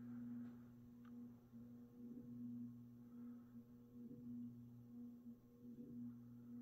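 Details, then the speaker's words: Mid-to-late 1980s 56-inch industrial ceiling fan (possibly HRS): steady low 60-cycle buzz with a few soft knocks; owner suspects the top half of the motor fits loosely where it sits into the bearing. "so you can kind of hear that this fan does have a 60 cyclic Buzz going to it and I think that is because of the fact that that the top half of the motor is not a very tight fit where it sits into the bearing"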